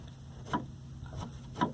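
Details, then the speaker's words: Chevy Astro/Safari rear liftgate latch, modified with a baling-wire loop as an inside emergency release: two or three crisp light clicks about a second apart as the loop is pulled, the same movement the solenoid makes. The latch releases normally. "that movement is what the solenoid does so uh and i have tested it and it does open up from inside the van so it's an emergency release for the inside"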